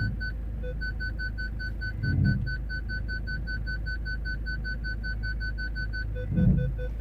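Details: Steady high beeping, near continuous, as the Jaguar X-Type reverses toward a car behind, after parking sensor repair and cleared codes; rear parking sensors detecting properly.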